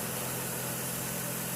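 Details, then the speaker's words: 2006 Chevy Trailblazer idling right after serpentine belt replacement to cure a squeak: steady, even idle hum with no chirp or squeal from the belt drive; healthy. "She's running smooth as eggs now. No chirping. Got that fancy new belt."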